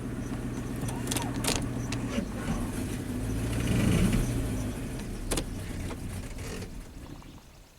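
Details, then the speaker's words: 2008 Ford F-250, 5.4L V8, 219,000 miles, replacement engine, rich-smelling with an exhaust leak: rough idle sinks slowly and the engine stalls, with rattling in the background; fuel rail pressure and cylinder head temperature sensor voltages read abnormally high, cause not confirmed. "there we go stalled out so you see jumped up to four volts there i don't like that"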